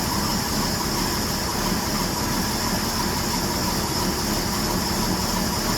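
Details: 1966 Ford F100 with freshly swapped-in known-good 300 inline six (old engine had rod knock), first run after swap, coolant not yet added: smooth, steady idle, even low hum, no misses, ticks or knocks.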